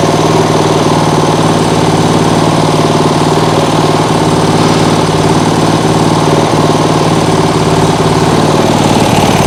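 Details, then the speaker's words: Small single-cylinder lawnmower engine on an outboard rig at full throttle on the governor: steady, even drone with no surging or stumbling; starts easily, no kickback, though it dislikes fast throttle; healthy. "Well, it doesn't like when you get on the throttle too fast, but it is able to run full throttle on the governor, that is. Starts easy, doesn't kick back."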